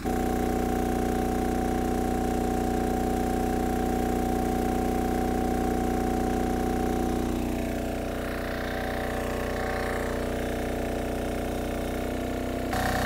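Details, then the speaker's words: MEP-531A/501A military diesel generator after fuel priming, contactor closed to apply load: steady, even drone that deepens slightly as load comes on, with little or no stutter; carries the load cleanly. "it didn't even seem like it stuttered that much compared to some of the other ones that I've done"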